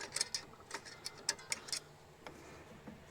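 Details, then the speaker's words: 2007 Toyota Highlander, 215,000 miles, rear brake job: rotor turned by hand while adjusting parking brake shoes outward, light irregular scraping ticks as shoes drag inside the drum, getting tighter. "So it's spinning now. I can hear it dragging. Getting tighter."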